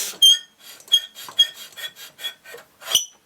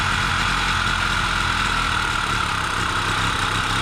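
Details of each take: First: Solex moped with Hungarian-made worn engine, cranked over: dry high scraping squeal in uneven strokes, no firing, binding; found out-of-round flywheel, bad cylinder, poor decompression valve, broken fuel pump; tight engine with squeal when cranking. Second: Solex two-stroke moped on castor-oil premix, first run after sitting through lockdown: steady even buzzing note at constant speed, no misses or knocks; normal two-stroke idle.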